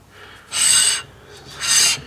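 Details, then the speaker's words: Datsun 240Z/early 260Z front brake upgrade with Toyota parts, new pads fitted: rotor turned by hand gives scraping swishes, binding on part of each turn because rotor runs out of true; to be machined straight. "Slide your new pads in, which, yeah, you can really hear that this is not 100% true now."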